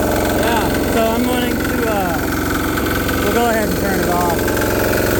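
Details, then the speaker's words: DIY 3HP 1.5kW generator, first start after fitting new muffler, idling: loud steady drone with constant beat, no misses; runs evenly, quieter than before but exhaust still loud, muffler needs more support. "started it since I put the muffler on, so the muffler needs a little more support, but much quieter. It's still loud as hell, that knocking, man, and it's idling right now."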